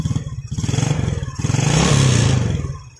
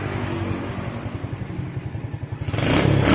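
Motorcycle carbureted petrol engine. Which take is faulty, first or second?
first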